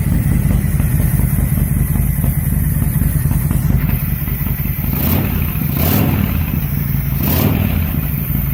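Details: 2005 Honda VTX after main jet pulled, airflow readjusted and Cobra slip-ons fitted, before the new breather: loud, deep, lumpy V-twin idle with open-pipe bark and a few throttle blips, steady and healthy. Air mix may need fine tuning.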